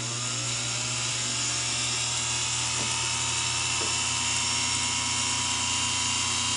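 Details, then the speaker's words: Singer PA-style sewing machine motor from a model 600, deliberately dosed with oil: high, thin whine wavers and sags as it slows; visible brush sparking and brush rattle from oil on the commutator. "see this I see the sparks in there we put it on the brushes here you hear it slow down that's interesting"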